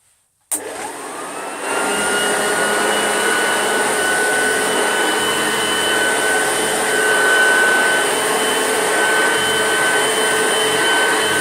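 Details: Old Hoover Junior upright vacuum, recently repaired: steady, even motor hum with smooth airflow rush and no screech or rattle; running healthy.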